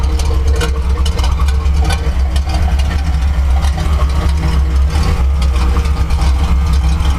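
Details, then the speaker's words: Chevrolet C10 V8 with a cam, warming up: deep lumpy uneven idle with occasional stumbles; misfire, owner suspects ignition (plug wires, coil or distributor); also blowing smoke, possibly worn rings. "uh engine misfiring so it's got an ignition I think plug wires coil uh distributor somewhere in there but you can totally hear it's not running it's not running smoothly"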